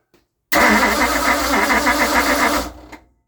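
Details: 1960 Ford Starliner with 360 FE Tri-Power engine: about two seconds of even starter churning at roughly four beats a second, never catching. The owner is unsure of spark and plans to check firing order and points. Cranks but will not start.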